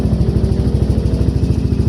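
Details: Yamaha NMAX, after repairing a broken ignition switch wire that caused sudden shutdowns from accessory wiring: steady even low putter about ten pulses a second with no misses; normal idle.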